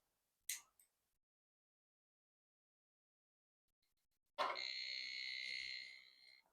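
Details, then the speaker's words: Retro 1993 386 PC motherboard at power-on, no CMOS battery or keyboard fitted: short click, then one clean high beep of about two seconds; memory test passed, normal POST. "There it is. Did the memory test. Oh, yeah. I like it."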